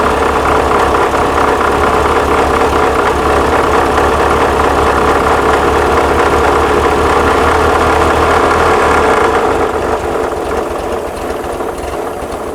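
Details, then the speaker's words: 1979 VW Super Beetle, fuel-injected, air-cooled, warm idle: slightly lumpy beat with faint hiss over fan noise, easing down at end; vacuum leak suspected, not confirmed. "she's idling down it's on it warm idle startup let me get this uh button up and uh get a get a timing light on this do you have a vacuum leak sounds like the fan"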